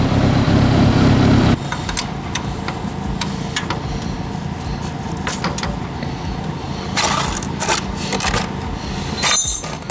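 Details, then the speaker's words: 1985 Honda Goldwing GL1200 Aspencade, carbs rejetted for ethanol fuel, fully warmed with the radiator fan on, before an oil change: low, steady, even idle with a few light ticks and no knocks or misses. Healthy warm engine. "The radiator fan is on. So that engine is definitely up to temperature now."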